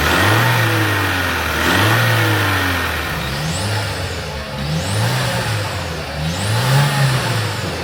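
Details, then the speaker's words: Opel Zafira turbo, A14 engine (GM 1.4), revved repeatedly: rising, slightly excessive turbo whistle with faint light knock; engine knocked when hot and had low compression on two cylinders. "Я сейчас слышу только свист турбины который лишний немножко но турбина здесь уже ремонтировать есть вот сейчас начинают вот чуть-чуть постукивать нюансы состояли в том что двигатель стучал на горячую"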